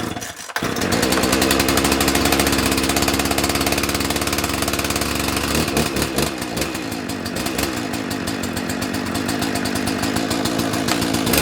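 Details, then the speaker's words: 1984 Dolmar 100 chainsaw after throttle repair, sitting two months, started on choke by pull cord. Sharp pull, then a raspy high two-stroke buzz like a little dirt bike that wavers slightly as it warms; running healthy. "this one sounds like a little dirt bike when this one goes"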